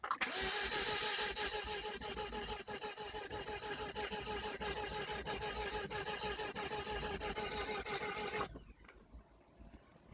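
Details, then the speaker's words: 2003 Saab 9-3 that randomly wouldn't start, after a new crankshaft position sensor and spark plugs, battery charged: starter churns the engine at a steady rhythm for about eight seconds but it never catches; crank, no start. "all right hopefully you can hear this crank no start I change the CPS today with another box om 1 and I also change the spark plug"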